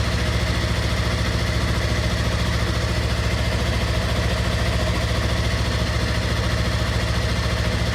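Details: 2016 Yamaha R3 twin idling after oil and filter change with 2.5 quarts of fresh oil: steady, even low putter with a regular beat and no knocks or rattles, a smooth, healthy idle.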